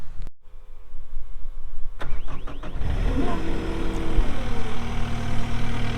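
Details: 2021 Caterpillar 259D3 skid steer diesel, 2,730 hours: starter whirs briefly, engine catches cleanly and settles into a steady, even idle with no knocks or misses; normal start and idle.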